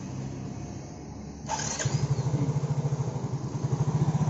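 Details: Yamaha Mio J scooter that kept stalling with MIL blinking twice fast, after fixing a loose ground wire at the starter motor: short starter whirr, engine catches cleanly into a steady idle about three beats a second; runs normally.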